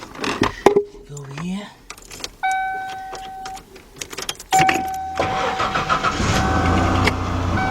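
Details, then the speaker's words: 1991 Mercury Cougar 3.8 after starter replacement and new heavier battery terminals: brief quick cranking, then the engine catches promptly and settles into an even idle. The starter engages cleanly, a normal start. "you want to make sure that started as definitely engages and no issues"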